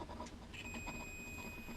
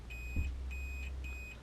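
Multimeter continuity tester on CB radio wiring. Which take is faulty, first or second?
second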